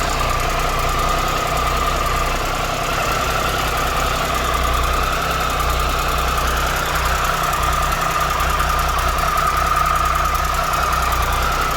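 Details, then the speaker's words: 2013 Triumph Tiger Explorer at 34,000 km, idling after replacing the cam chain, hydraulic tensioner and exhaust header gaskets: light, fast, regular tick with nothing excessive. The engine is much quieter, with normal valvetrain noise. "so right now the engine is very less noisy and it doesn't make any like excessive ticking noise after this this replacement"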